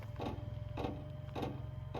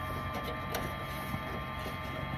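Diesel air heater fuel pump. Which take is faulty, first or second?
first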